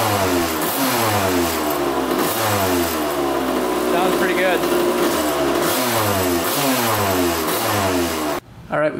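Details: 1982 Kawasaki KX125 two-stroke after coolant leak repair: crisp ringing, clean rising and falling revs under repeated blips, no misses or knocks; no leaks, oil clear, water pump seals holding.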